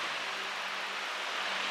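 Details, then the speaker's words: iLiving fan on low speed after balancing the blade with spray paint: a steady airy rush with no thumping or rhythmic wobble. It is substantially better than before, though still slightly wobbly. "oh what did I do as I turned it off it goes [Applause] that's substantially better oh there it goes it's still better than it was"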